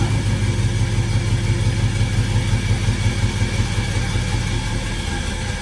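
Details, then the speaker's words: Budget LS-swapped Malibu on a homemade open exhaust off the headers, after a slow build-up of fuel pressure, possibly low on fuel: loud, uneven low rumble with irregular pulses about three a second, running rough, sounds terrible. "Sounds rough. It sounds terrible."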